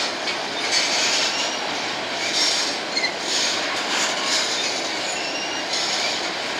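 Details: A BNSF empty grain train led by two GE locomotives passes at sunset: a rolling hiss with a high, screechy edge from a few wheels. Wheel squeal, cause not clear.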